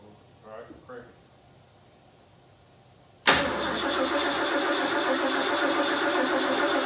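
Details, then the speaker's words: 428 Cobra Jet V8 after restoration, first start since a 2014 engine fire, with a fuel leak noted: quiet start, then a loud, fast, slightly uneven idle; runs but rough, needs tuning. "so for those of you that are hopping on what we're telling you is this is the first time that it has been fired since 2014 when it was in an engine fire"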